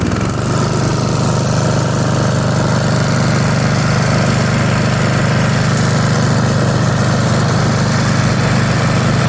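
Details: 1982 Snapper Comet riding mower, 8 HP Tecumseh electric start, after restoration with everything reported operational: steady, even drone with no misses or knocks throughout; running smoothly and healthy.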